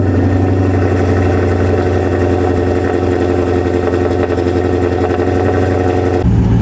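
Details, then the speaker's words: Maserati Quattroporte after new coil packs, diff and transmission oil and reseating alternator signal wire pin; charging at right voltage; steady smooth idle, even low rumble, no stumbles; misfires confirmed gone; normal idle. "now let's just see if all of those misfires have gone or should I say that they have gone I just want to confirm they have stayed gone"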